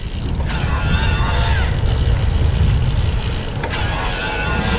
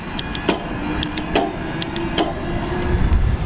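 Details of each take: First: 2021 Diamondback e-bike with Bosch mid-drive speed motor, test ride switched from eco to turbo assist: fairly loud whine over steady wind rush, pitch rising and falling with each pedal push; normal mid-drive motor whine. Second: New 2021 Diamondback Bosch-equipped e-bike, few miles, test ride: sharp metallic clacks at each rear gear change over soft motor whir; loud clunky shifting, thought to be normal break-in, unconfirmed.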